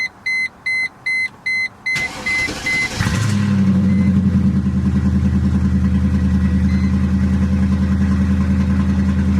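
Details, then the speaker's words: 1999 Mercedes E55 AMG with check engine light and misfire on cylinders 5 and 7, after new spark plugs, cold start. Quick chimes, crank, then a smooth, even low idle with no stumble or miss; sounds much better than before. "running better let me see let me see the idle it sounds good it sounds good"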